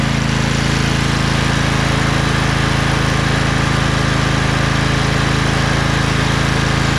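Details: Craftsman LT2000 lawn tractor repowered with a Briggs 20HP Intek V-twin, owner suspects a blown gasket on the right cylinder. After about 10 minutes: smooth, constant drone, no tapping, popping or misfire, no smoke. Normal running.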